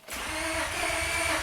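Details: 1999 Honda Accord V6 with about 280,000 miles and the immobilizer light not coming on. The starter whirrs fast and evenly but the engine never fires; crank-no-start traced to a failed PGM-FI main relay.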